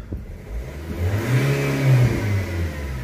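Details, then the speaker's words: Nissan/Vauxhall/Opel revved with the EGR valve refitted before a full clean and with a known broken wire: revs climb unevenly, spluttering instead of pulling cleanly, with some smoke and gunk; better than before but EGR still blocked. "it's still not great in kind of I don't know if it's coming through on camera but it's spluttering as it's going up and if we've still got a bit of smokey coming out but that doesn't matter it is better which is good"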